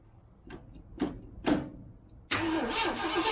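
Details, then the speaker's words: 1967 Mustang on first start after months sitting, choke on, in park: fuel pump working, but the float bowl is likely empty; slow cranking then steady spinning that never catches, cranks but won't start for lack of fuel. "I doubt there's any fuel in the float bowl, but let's see what happens. Fuel pump's working."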